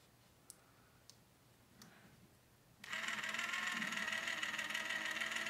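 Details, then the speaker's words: RC Falcon chassis rear gearbox rebuilt and bench-tested by spinning its motor off a 1.5 V C/D battery before installing; faint taps, then a steady, even high whir, outdrive spinning, no crunching or skipping; gearbox healthy. "Right, you guys can hear that turning. I can see my outdrive spinning nice. No crunching noises."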